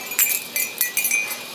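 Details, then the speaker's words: Hunter 6-inch ceiling fan hung in a tree stand, one homemade blade: irregular bright metallic clinks several per second, no motor hum, as the spinning blade strikes a wind chime. "that's what making that noise is bump head to it"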